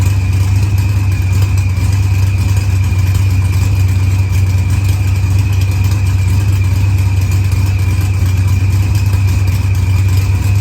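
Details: Green Challenger with a supercharged LS swap, idling after head gasket and fuel pressure sensor repairs, firmware update and a fuel trim. Timing reads 27°, target 28°. Deep steady rumble, even beat, no knocks or misses; healthy.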